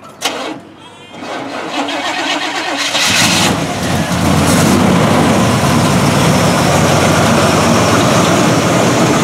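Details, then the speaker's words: 1979 Chevrolet K10 4WD, matching-numbers 400 small block V8 with 350 turbo transmission, swapped intake manifold, thicker 8 mm wires, new air cleaner: brief cranking catches quickly, settling into steady even idle with no tapping or stumble; healthy start. "new air cleaner uh that's about it in here it runs great which uh I'll I'll crank it up for you in a minute"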